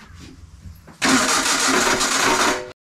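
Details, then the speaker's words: Renault 11 Turbo: quiet, then a sudden harsh two-second whirring burst cutting off dead, starter spinning without properly catching the engine; starter problem suspected, not confirmed. "Qu'est-ce que c'est qui fait ce bruit? Ça, c'est bizarre. C'est pas le bon démarreur. Parce que ça, c'est encore un truc de démarreur. Ah oui, bah oui. Il y a un problème avec le démarreur."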